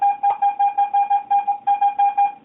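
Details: Garrett AT-Pro metal detector air test, zinc penny at about 4 inches from the coil, reading about 75–76. Crisp mid-pitched beeps repeat about five times a second at a steady pitch: a normal zinc penny target tone.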